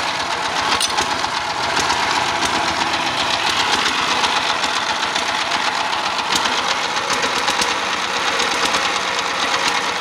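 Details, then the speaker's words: Dompeng S195 single-cylinder diesel driving a well-drilling rig, started cold, complaint heavy load and white smoke from the crankcase ventilator: harsh, clattery, uneven loose beat over steady roar; worn engine with heavy crankcase blow-by. "यह पता चला है कि यह अभी चालू हुआ है, वेंटिलेटर से सफेद धुआं निकलना शुरू हो गया है , हम इसे फिर से लंबे समय तक चालू करने की कोशिश करने जा रहे हैं ठीक है , डीजल दोस्तों।"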